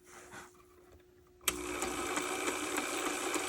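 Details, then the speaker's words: On30 model steam locomotive after gluing gear: motor whirr with quick steady ticking about three clicks a second, then stops; remaining clunk, owner suspects the moving piston/valve gear, not confirmed. "of course no it stops still got a bit of a clunk but what do you expect"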